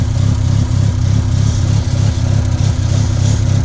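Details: Mazda RX-7 FD rotary engine, revving fine at half throttle, with a hose left disconnected, possibly a boost sensor line: a low, lumpy pulsing idle at about three uneven beats a second that never smooths out, from the vacuum leak.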